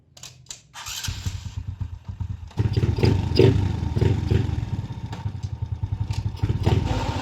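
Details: RS125 carburetor motorcycle at idle: uneven metallic clatter that comes and goes, linked to the clutch; worn primary clutch one-way bearing.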